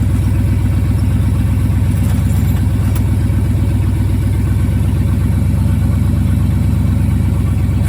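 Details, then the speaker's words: 1974 Ford F-350 grain truck, 360 FE V8, allegedly about 42,000 miles, sat a dozen years, carburetor rebuilt: a deep, loud V8 burble with an even, steady pulse and no misses or knocks. Runs cleanly. "I guess we should see if it cranks up. Uh-oh. Molotov's alive."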